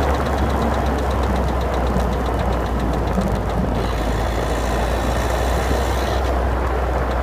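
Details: 2011 Citroen DS3 110 HDi diesel at idle: sharp, fast clicking, about seven ticks a second, over a steady low rumble. Cause unknown.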